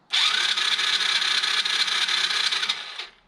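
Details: Tao Tao Coolster 110cc youth ATV, cranks and has spark but won't start, started by toggle since the starter switch failed: about three seconds of high, fast starter whir with no firing; low compression from a foreign object in a valve.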